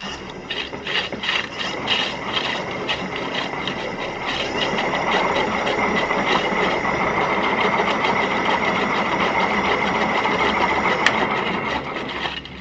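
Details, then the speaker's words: Electric motor affected by moisture, spun during teardown for bearing and seal replacement: rapid rough ticking about three per second under a steady whine as it spins down quickly; worn dry bearing, replacement advised. "ahí lo vimos esa es una condición Clara de que un motor bastante afectado por la humedad el rodamiento en especial está bastante afectado"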